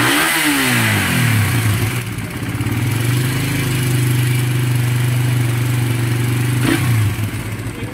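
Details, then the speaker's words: Second-hand motorcycle with an owner complaint of tapping noise, worse when hot: the engine drops to a fast, steady idle with dry ticking and scraping chatter. Opening the cylinder head showed worn, scratched valve caps causing it. "Yung tunog na narinig kanina na malagutok, malagitik, maagas-as. Ito ang problema. Ang cap niya ay may tama na."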